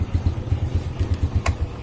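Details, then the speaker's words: 2006 Honda Supra Fit New after repairing a hard-kicking, seized-feeling fault that proved minor (not the piston or conrod): single cylinder idling with a steady, even low thump about eight beats a second, no clatter; healthy. "Oke jadi motornya sudah bagus"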